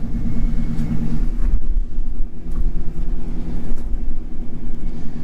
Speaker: this might be an old truck but man she runs good silky smooth look at that